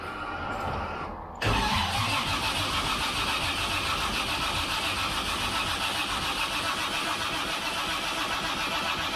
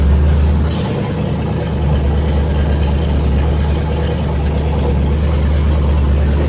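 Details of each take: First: Freshly rebuilt engine with forged pistons and rods, 10.3:1 compression, MSD, first start attempt, 45 psi oil pressure while cranking: steady starter churning without catching; crank no start. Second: Freshly rebuilt engine with forged pistons and rods, 10.3:1 compression, MSD, first start: loud, deep, even rumble with no knocks or ticks; normal running.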